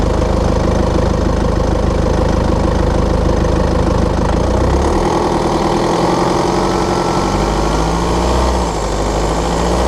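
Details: BMW F11/F10 520d 2013, N47 diesel: sharp, regular ticking rattle that persists as revs change, when cold and under load at 1500 rpm; a faulty injector, pinpointed by ISTA test.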